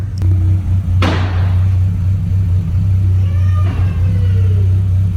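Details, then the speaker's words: Renault Clio 182 after a misfire problem was fixed: steady, even low idle hum with no stumbles over several seconds, firing cleanly and idling smoothly. "it is it's very smooth now isn't it i think we fixed it i think we just it just needs a minute to run because to me that sounds fine now"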